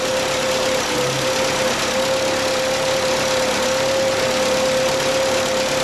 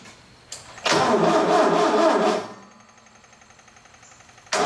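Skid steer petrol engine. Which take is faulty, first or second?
second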